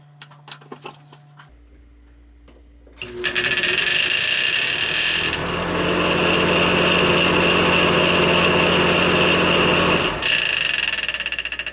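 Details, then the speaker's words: Bathroom exhaust vent fan after cleaning: spins up with rapid steady ticking rub and thin hiss over the whir; blade strikes plastic tabs on the motor, worn grooves visible in each tab. Fan blade rubbing on motor housing. "okay the fan is still hitting something here's where it's hitting it's hitting these plastic things on the motor"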